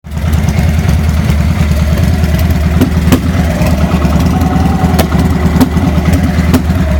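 Uneven, loping V-twin idle with occasional sharp pops spaced irregularly over the beat; rough running, cause not pinned down.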